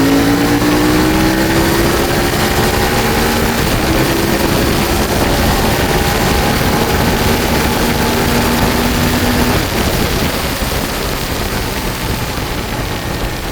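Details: CFMOTO Ibex 450 riding after TEAM MSC ECU tune, which fixed surging and jerking between 3500 and 5500 rpm: engine note climbs steadily through the midrange without hunting or surging, under heavy wind rush; pulls smoothly, runs clean.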